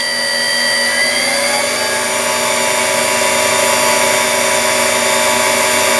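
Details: Deckel S5 universal tool and cutter grinder, dual-drive spindle on a frequency drive, speed rising from about 5,000 toward 6,000 and 6,500: smooth, steady high whine climbing slightly with speed, no rumble, grind or ticking; running cleanly.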